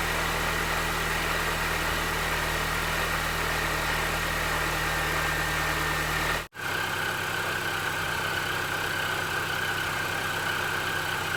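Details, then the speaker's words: R53 Mini Cooper S first start after replacing spun rod bearings and rod bolts: petrol engine runs steadily and smoothly with no bottom-end rod knock; normal idle. "hmm oh all right so it runs it doesn't knock it sounds pretty good"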